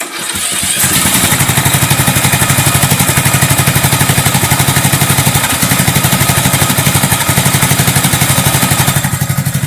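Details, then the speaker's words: Poulan riding mower engine running with a makeshift rocker arm fix, head still needing replacement, brief test before warm-up: steady even beat about four pulses a second, no knock or miss; normal running. "Sounds pretty good. Now, it ain't gonna last long."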